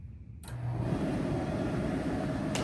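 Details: ASKO dryer on auto normal after repair of a vibrating-noise complaint: starts and settles into a steady even whoosh of airflow with no knocking, scraping or vibration noise.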